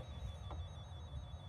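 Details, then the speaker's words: KGZ Z200 automotive circuit probe tester breaker finder held near an alarm system wiring: thin steady high-pitched tone over low hum, indicating a loose or broken wire. "That alarm is telling me that I have a broken wire. So, we need to find where the broken wire is."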